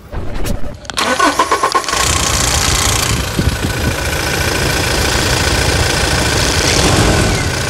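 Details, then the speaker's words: 2016 Toyota Hilux 2.8 GD diesel, 350,000 km, older recording made before the timing chain replacement; it cranks, catches and settles into a harsh idle with a steady metallic clatter: timing chain rattle. "uma melodia dela que eu tenho antiga é antes da troca da corrente"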